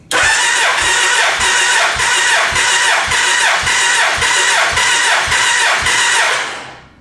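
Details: Gen 1 Suzuki Hayabusa after cam chain replacement, cranking on a battery charger during a compression test (cylinder rose from 168 to 196 psi): even, strong starter cranking at about four beats a second; healthy compression on every stroke.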